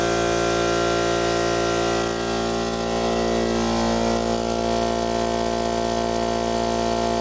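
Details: Central Pneumatic 2 hp, 8-gallon, 125 psi air compressor with a previous hard-start fault, after fitting a new 100 µF 250 V capacitor: a steady, even motor hum and smooth pump drone with no stalling or labouring, starting cleanly and running healthy.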